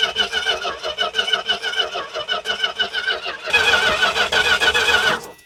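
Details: Dodge truck, possibly weak battery, fuel line off the pump to test whether the pump pushes fuel: starter cranks steadily at about three beats a second without catching; plain cranking, no start.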